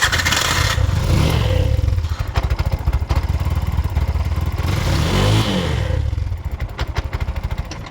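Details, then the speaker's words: Bajaj auto BS6 single-plug 2024 model, 43,464 km, after timing chain and clutch work and reassembly: engine catches and settles into steady, even low idle with no chain rattle; normal start, idle now holds where it previously stalled. "ಹಾಂ ರೀ ಐಡ್ಲಿಂಗು ನಿಂತ್ಕೊತಾ ಇರಲಿಲ್ಲ, ಸಡನ್ನಾಗಿ of ಆಗಿಬಿಡ್ತಾಯಿತ್ತು. ಬಂತಾ ಇದೆ."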